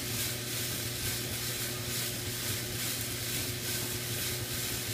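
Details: DuraBULL rotary tumbler with steel shot: constant loud hissing rattle with gentle rolling pulse; normal operation but extremely noisy.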